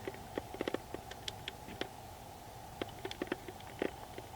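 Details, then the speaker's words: Canon RF 24mm f/1.8 Macro IS STM lens autofocusing in servo on an EOS R7/R10: faint, soft creaks and ticks in irregular short bursts as it hunts; slowing the servo speed lowers the noise, but the creaking never fully goes away; this is normal motor noise. "Servo is much quieter for one shot for starters, but slowing the servo speed for maximum increasingly lowers the autofocus noise, though the soft creaking never really goes away."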